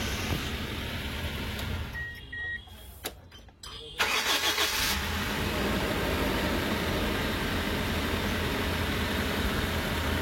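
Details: Toyota 1TR engine after a full overhaul that followed loud knocking: it cranks briefly, catches and settles into a smooth, steady idle with no knocking or missing; it runs healthy.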